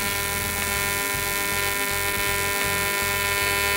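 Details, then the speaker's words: YesWelder CT2050 AC TIG on aluminum with balance raised to 50%, very high for this material: a steady, harsh buzzing arc; needs much more current, and the tungsten overheats and balls up; audibly different from lower balance. "oh yeah I'm needing much more current the tungen is balling up more than it ever as cuz again I'm putting way more heat into the tungsten"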